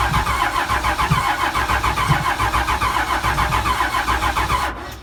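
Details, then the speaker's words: Cheap long-stored 12-valve Cummins diesel, fuel at filter and solenoid: starter cranks steadily at about three and a half beats a second for several seconds, never catches, no oil pressure shown while cranking; cranks but won't start. "It's not showing any oil pressure when we're cranking, but I might give it just a snoot of Cosby in a can and see if that does anything."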